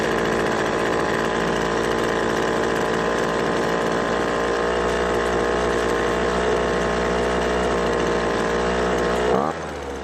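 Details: Poulan Pro two-stroke leaf blower after years of storage, old gas drained and fresh 2-cycle fuel added: high buzzy drone holding steady speed ten seconds without surging, then dropping off; runs clean, carburetor fine.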